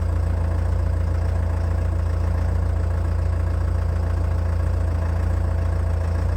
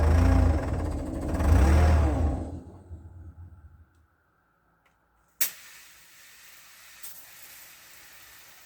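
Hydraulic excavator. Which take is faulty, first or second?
second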